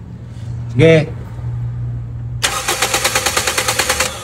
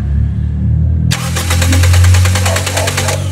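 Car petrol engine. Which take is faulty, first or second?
second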